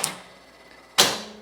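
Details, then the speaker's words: Vintage Mills Roman Head slot machine, old penny escalator jackpot, no coins in the payout tube: two sharp ringing clacks about a second apart as the payout slides trip on three oranges; working as it should. "There's no payout. You can see the hear the no coins in the tube, but you hear the payout slides doing its thing. All works as it should do."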